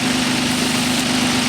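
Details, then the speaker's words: 1997 Nissan Maxima at idle, PCV valve test: steady idle with an even airy hiss from the valve and strong vacuum felt at it; no knocks or misses, PCV valve working and in good shape. "there's a very strong vacuum so this valve is working it's in good shape"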